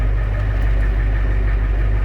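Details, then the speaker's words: 1990 Ford F Super Duty, naturally aspirated 7.3 IDI diesel, after injector replacement, warming slightly: deep steady rumble with even beat, no miss or knock, runs much smoother than before; RPM gauge intermittent; normal idle. "man yeah it runs so much smoother than before"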